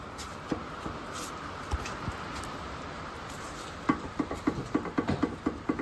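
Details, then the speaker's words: Worn suspension arm bushings/joints on a Mercedes C-Class 3.0 V6: quick loose metallic clunks, three to four a second, as the arm is rocked by hand under the car, revealing heavy rattle and play; suspected source of the knock, arms and drop links to be replaced. "as you can hear just from shaking them you can hear a lot of rattling and a lot of play in them so I reckon that's where my uh my noise is coming from"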